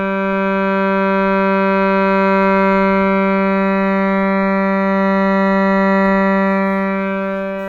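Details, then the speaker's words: Shruti box G reed after repair, with the tongue straightened on both sides so it no longer touches the frame: steady pure sustained note, even tone, no buzz or rattle. "the tongue is just straight and making normal sound now let's check on the S box"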